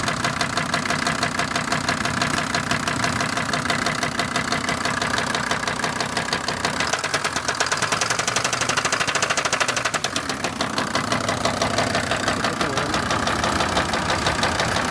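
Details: SsangYong Rexton idling after a no-start fixed by jump-starting: sharp, rapid ticking knock, about three per second, over the idle and never settling; piston-like noise suspected, cause not confirmed.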